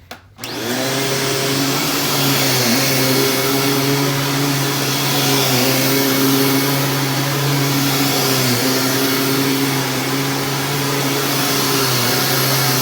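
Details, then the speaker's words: Dyson DC25 vacuum running with its filter refitted. A steady, strong motor hum and a smooth brush-roll whirr dip slightly under load and recover. The brush roll agitates well; normal running. "yeah with the filter back in you can hear this thing agitates amazingly"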